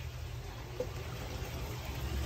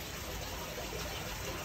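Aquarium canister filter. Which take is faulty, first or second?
first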